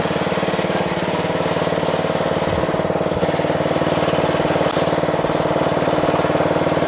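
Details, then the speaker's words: Toro Wheel Horse 825 riding mower (Recycler 56132), Briggs 8HP single-cylinder, after new battery, carburetor replacement and throttle linkage fix: low idle at lowest throttle, even firing about three per second, steady and smooth; healthy. "Ooh, ooh, ooh, ooh. Sounds great! I'm going to put it all the way to the lowest idle."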